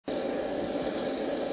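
A steady, even buzzing hum with a faint high whine on top that holds constant; the ash vibrator is running normally.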